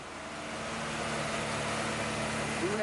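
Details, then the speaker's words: Honda/Acura Integra: engine holds a steady, fast, high-pitched idle with no hunting, well above normal; suspected clogged idle air control valve or a vacuum leak. "as you can hear is revving up high but look"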